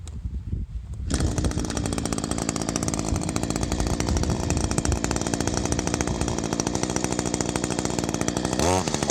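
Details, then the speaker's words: Echo SRM-225 two-stroke line trimmer with barrel-style carburetor, engine at high rpm while the high-speed mixture screw is adjusted; uneven, burbling rough four-stroke rhythm that sometimes clears, smoothing to a two-stroke tone as the screw is turned in; mixture set too rich. "so you hopefully could hear the difference in the video the tone of the engine change from that sort of ruff that ruff four-stroke sound to the smooth two-stroke sound just by turning in that screw"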